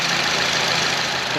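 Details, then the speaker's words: 2014 Honda CR-V 2.4 after replacing a stretched timing chain, tensioner, guides, cam gear, VTC actuator and timing cover; first start, checking for leaks: smooth, steady idle with an even hiss and no knocks or chain rattle; healthy idle. "We're going to start it for the first time, check for leaks. That's a little more how it's supposed to sound."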